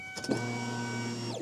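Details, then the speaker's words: 2001 Ford Escape 2.0L with a newly replaced fuel pump and fuel filter, key cycled on and off: a steady electric hum for about a second, then a clean wind-down. This is a healthy fuel pump prime; no leaks were seen. "all right so are you just put it just turn it to the on position turn it off turn it on you can hear the fuel pump in there now yeah turn it off turn it on"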